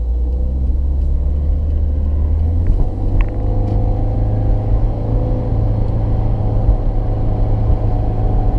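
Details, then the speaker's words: 2016 Subaru WRX with CVT, warmed up, at 50 mph: steady engine drone with revs pinned at 3,000 RPM, never dropping to the next ratio; owner is concerned the CVT isn't upshifting. "Still hovering at three. I'm doing 50 right now and I'm still at 3,000 RPM. I haven't never really switched to that next gear."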